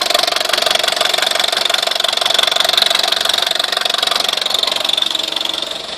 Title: Weird noise on my VW Scirocco 1.4 TSI engine